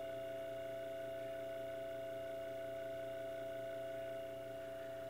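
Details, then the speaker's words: GE antique fan motor dated 1895, after its stator coil was rewound and it was reassembled, running at about 120 V mains on high speed drawing about 0.67 A. Steady smooth hum with no rubbing or rattle: normal running. "so mains of today 120 i've about there it's still running fine"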